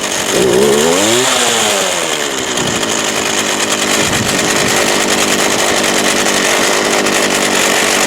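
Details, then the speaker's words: Craftsman 19-inch 25cc two-stroke gas hedge trimmer with brittle bad fuel lines and gas of unknown age, choked: revs up, then sags and wavers without holding speed; bogs down, likely fuel-related. "um running right now, but I doubt it's going to stay. And it really fogs"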